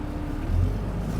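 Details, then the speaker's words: Cummins diesel pickup with duals at dealer auction, possibly tuned, under partial throttle: deep strong note climbing smoothly, no knocks or misses, sprightly and pulling well. Normal diesel acceleration. "But Roman, it was very sprightly. I did was. not use a full accelerator, It's good. and this Cummins is very strong. That's a very nice, happy Cummins."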